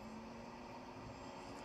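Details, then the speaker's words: Water-cooled 1,500 W spindle on a 6040 CNC, readout maxed at 400, just under its rated 24,000 rpm by laser tachometer: quiet, steady high whine over a faint even hum, no roughness or rattle. Normal spindle at full speed. "that's where that max is out and let's check this out that is so quiet as a nice sound to it and there we are somewhere in the 24 thousand little under 24,000"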